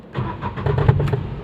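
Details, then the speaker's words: Renault Kwid at start: quick burst of hollow knocks as the engine catches, fading as it settles, from under the body; silencer hitting the underbody. "देख सकते हो वापस से band कर देता हूं body के नीचे से आवाज ए रहा है"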